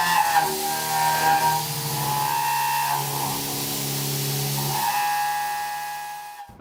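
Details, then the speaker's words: Haas CNC mill cutting: loud, piercing whistling squeal with shifting pitch, milling chatter where the tool or workpiece vibrates enough to cause surface-finish problems. "now the term chatter is is almost always a misnomer right it means something different to lots of different people for our purposes chatter is simply when a tool or a work piece vibrates enough to give us surface problems"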